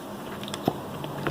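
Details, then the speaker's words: XTM X Factor nitro RC car's 24.7 engine, flywheel turned by hand. Crisp pop with firm release shows good compression, better than the loose original engine; sooty because it likely ran rich. "a nice little pop so this one has a lot more compression and probably just run a lot richer so that's why it's so black"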